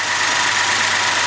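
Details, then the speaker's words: 2020+ Ford Explorer ST 3.0 EcoBoost idling after a UPR dual-valve catch can install: even, steady idle with a smooth hiss and a faint constant whine, no knocks or misses; sounds good. "Everything sounds good, everything looks good."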